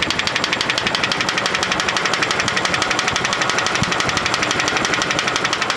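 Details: GAZ Volga car engine: a sharp, even knock about three times a second rides steadily over the running engine. A clear internal knock, cause not yet determined.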